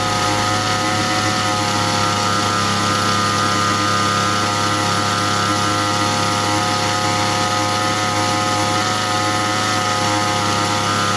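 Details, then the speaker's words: Grass trimmer engine, serviced for dying when started warm, test-run over 5 minutes: steady high-pitched buzz at constant speed with no surging or dropouts; normal running. "Di sini kita tes hidupkan mesin selama lebih dari 5 menit tanpa berhenti. Baik, kita hidupkan mesin. Kita tahan mesin selama 5 menit."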